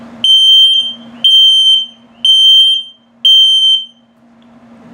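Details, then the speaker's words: Carbon monoxide and LP gas detector in a 2021 XLR Micro Boost 25LRLE trailer during its test: four loud, shrill chirps about one per second in a quiet room, the slow-beep low-battery warning pattern. "Now, it'll beep if it detects LP gas, it'll beep if it detects carbon monoxide buildup, and if it beeps very slowly, it's telling you your battery's low."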